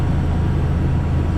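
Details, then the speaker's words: Walk-in cooler unit running after fixing a missing-screw mounting plate that caused violent shaking: steady even low hum, the rattling vibration noise gone. "Definitely helps with the vibration. And that sound is gone."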